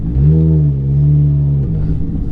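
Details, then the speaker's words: Ferrari F430 F1, pulling away before the PIS (point of initial slip) clutch adjustment. Revs climb and hang high without the car pulling harder, then drop as the throttle lifts; the clutch slips substantially on take-off. "watch I'll be on the gas and there the clutch engaged see how much it slipped it was pretty pretty substantial here we back up again yeah you can feel it slipping a lot here"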